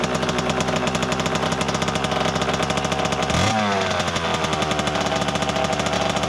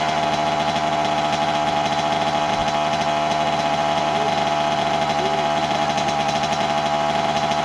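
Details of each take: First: 1988 Kawasaki KX 80 two-stroke starting for the first time in 15 years after being flooded; crisp rapid firing with a quick throttle blip and drop back, picking up cleanly and running steadily. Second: 1988 Kawasaki KX80 two-stroke, first start in 15 years after being flooded: buzzy, fairly steady but slightly lumpy high idle that runs rich, consistent with a float level set too high.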